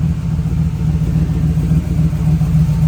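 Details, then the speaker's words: 1971 Ford Bronco custom, 302ci Blueprint V8, Holley Sniper EFI, headers and custom exhaust with Magnaflow muffler, heard from outside the vehicle: deep, even idle burble, steady low rumble with no knocks or misses; normal V8 idle. "I mentioned that custom exhaust with the Magnaflow muffler and the headers. Listen to that sound. This is not your average Bronco, folks."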